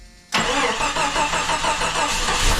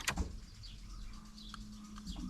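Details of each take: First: Jeep Cherokee, dormant eight years, running after an oil and fuel change: catches after a brief crank and settles to a steady idle with a faint hiss and odd whistle. Missing vacuum lines are suspected; the alternator charged above 13 V. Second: Jeep Cherokee dormant 8 years, fresh four and a half gallons of fuel added: key on brings clicks and a faint steady hum of the fuel pump priming, repeated a couple of times; pump working.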